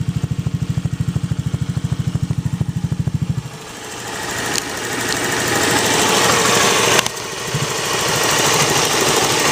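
Scooter idling with an even, rapid click-click tied to engine speed, then the note changes and rises; clicking of unknown cause.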